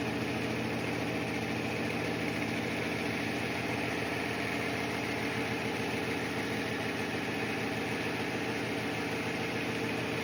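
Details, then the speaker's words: Vintage Craftsman 109 mini lathe turning a 1-inch UNC decorative nut, cutting slowly near the chuck jaw: steady hum with rough, rapid, harsh rattling buzz through the cut; tool chattering heavily on the work. "It's got obviously a lot of chatter, but I'm going to give it a little bit of clean up and"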